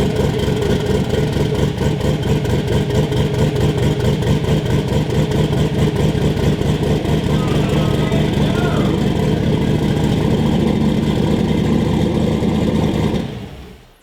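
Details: Volvo 240 wagon with a 1000HP-capable Gen 4 LS at first start, after swapping the crank sensor pins for 58X: a deep, even note at steady high revs with firm firing and no misses; oil pressure good.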